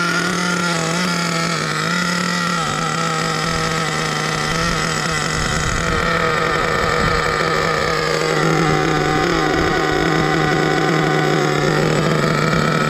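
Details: Savage X46 nitro RC truck, three-speed transmission just rebuilt with all-metal gears, first adjustment; engine screams at high revs with wandering pitch but no step drop, no audible shift into second, not shifting into third.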